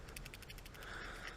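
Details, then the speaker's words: Failed upstream (bank 1 sensor 1) oxygen sensor removed from a 2008 Toyota Yaris with code P0031, heater circuit low: shaking it gives a quick, light ticking rattle from something loose inside. The sensor is very likely dead; the cause is suspected. "so I took my old one out and I kind of ended up just cutting it but I don't know if you can hear that but it's rattling on the inside"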